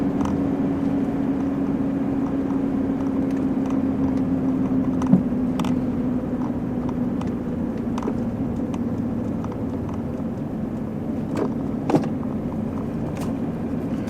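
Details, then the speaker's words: 30-year-old Mitsubishi Pajero 4x4 turbo diesel cruising: low, even, quiet drone with only light road ticks and no knocking or whistle; healthy, normal running. "i just love this sound listen to it very quiet turbo diesel"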